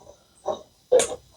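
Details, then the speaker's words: 1990 Mazda MX-5 Miata NA front brake service: two short wet squelches as caliper slide pin is pushed in; excess grease hydraulically locking it in the bore. Inner pad had worn a third thinner than outer, suggesting sticking sliders. "So that's why I want to go ahead and now I got too much grease in there."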